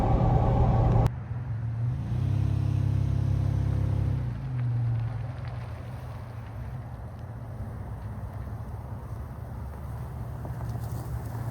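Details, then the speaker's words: 3rd-gen Toyota 4Runner at about 50 mph after replacing a worn U-joint that caused vibration under acceleration at 50-60 mph: steady road rumble, no shudder, faint exhaust heat-shield rattle; smooth driveline after repair. "You know, usually get up to like 50 or so. It was pretty bad. A lot better."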